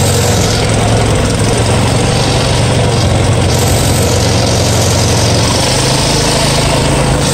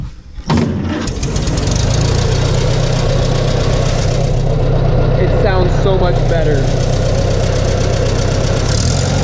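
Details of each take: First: Farmall 140 industrial tractor, revived after 10+ years sitting, driven after a clutch repair, in reverse then second gear: a rough, lumpy beat under driving load; a misfire because a spark plug wire was firing at the wrong time on the distributor cap. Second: Farmall 140 industrial tractor, revived after 10+ years sitting, after swapped plug wires 2 and 3 were corrected on the distributor cap: a brief crank, then a steady, even idle with regular beats and no misses; it runs much better and sounds good.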